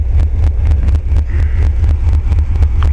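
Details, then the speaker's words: 1967 Mopar engine: deep lumpy idle pulsing unevenly about once a second, wind on mic; running shaky, owner suspects failing fuel pump (mechanical one ordered) and maybe ignition wires. "um the engine you know it's kind of shaky I don't know maybe I need ignition wires also but for being this old Run's pretty"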